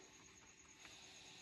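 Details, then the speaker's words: Soundcraft Signature 12 mixer being repaired (rat urine damage, worn faders): faint steady hiss on a channel with nothing playing, noisy when volume is pressed; other channels show no sound but flickering lights; cause unconfirmed. "ตัวนี้ซ่านะครับนี่ก็ซ่ากดวอลุ่มแล้วมีปัญหานะนี่ตัวนี้มีปัญหานะครับ"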